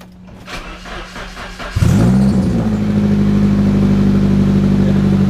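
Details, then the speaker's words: S13 240SX convertible engine cranks, catches and idles loudly with a raspy, puffing exhaust note; exhaust leak at a joint missing a bolt, before repair with a new bolt and thread locker. "other day on shout out today i've got an exhaust leak you'll hear in just a minute so we're going to fix this exhaust leak"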